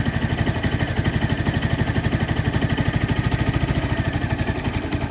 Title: Ticking noise.